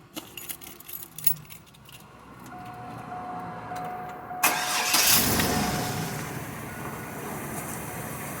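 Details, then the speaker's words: Chevy S10 with 4.3 engine after a complete rebuild for crank walk and distributor fixes: starter catches and the engine fires into a steady, even idle, running sweet; normal start and idle. "The motor does run sweet. Fire it up, bud."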